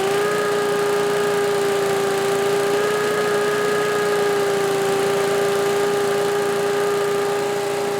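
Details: Old Lindell Litter Gitter yard vacuum's small engine, after new carb gasket, holds a steady high speed with a clean, constant fan tone and no surging or stumbling; running properly and moving lots of air.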